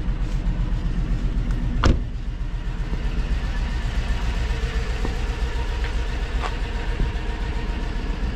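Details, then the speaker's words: GMC Denali V8 from auction, just started: rough, uneven idle with irregular stumble in the low rumble; engine misfiring, cause not yet found. "not dead it's misfiring y can hear it's misfire"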